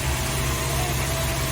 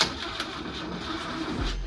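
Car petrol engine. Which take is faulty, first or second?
second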